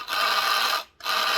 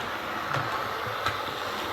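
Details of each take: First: Hornby Class 142 Pacer model railcar, motor bogie running: harsh high-pitched gritty whir with thin whine in two short runs, unlike the identical second car; worn worm gear. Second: Hornby Class 142 Pacer model diesel railcar after repair of noise and wheel wobble (loose tire): quiet even motor whir with soft rail clicks at steady pace, no grinding; normal running.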